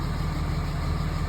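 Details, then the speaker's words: 2005 Dodge Ram 3500 Cummins diesel after alarm-related no-crank no-start, fixed by arming and disarming alarm with key fob: starts and settles into an even low rumble at idle, no stumble or knock. "Twist the start. Boom. Freaking works."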